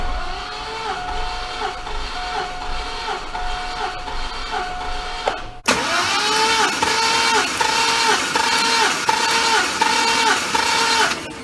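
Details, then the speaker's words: Compression test cranking with the gauge on cylinder one, 225,000-mile 5.3L LS V8 from a 2000–2006 GMC Yukon: starter spins steadily with even pulses about four a second; reads 160 psi, healthy compression. "now we gotta go crank it over and see what she reads we're gonna like crank it a few times"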